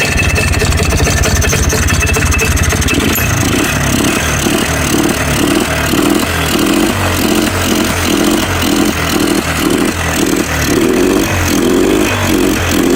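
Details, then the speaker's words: Scrap ATV four-wheeler with new starter and flywheel reseated: steady, even idle with regular low pulse, never stumbles; blue smoke seen, runs healthy. "Power on That sounded good. I like seeing the blue smoke. That means it's got oil going to it."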